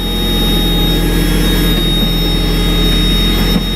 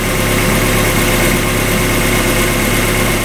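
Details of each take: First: 1994 Mazda Miata after winter storage: steady idle that stays too high and never settles, with no misses; owner suspects a sticking idle air control valve needing cleaning, and unplugging the power steering idle boost valve did not lower it. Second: 1994 Mazda Miata with its original exhaust, idle calming down as it warms after winter storage: steady, even four-cylinder idle with no rattles, ticks or exhaust leaks; smooth and healthy.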